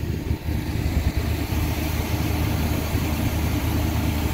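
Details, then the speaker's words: 1974 Chevy C30 wrecker, 350 V8, idling after sitting about five years; batteries likely not holding charge: steady even low rumble, no knocks or misses, smooth healthy idle. "yes that sounds good gonna have to put a little bit of gas down here sometime but she's running she is running guys five years she's been sitting five years"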